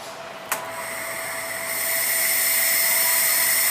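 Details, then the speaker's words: Shockwave therapy handle compressor test after pressing the button: sharp click then steady high hiss building evenly as air and shock waves come out; compressor has no problem, suspected fault is the button; normal firing. "And also there's here, the air come out, and you hear the sound, you hear the sound of the shock waves. This means that the compressor is no problem."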